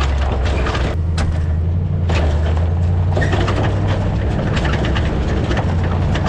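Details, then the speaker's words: Before fitting a CURT no-tool anti-rattle hitch clamp, driving down a bumpy gravel road, the hitch shank slides forward and back in its receiver sleeve. Loose, irregular metal clunks and rattles sound over a heavy low rumble. "so when i'm traveling along the uh hitch here slides in and out of this bracket this sleeve makes all kinds of noise it slides forward and backwards and it's just a really noisy noisy ride"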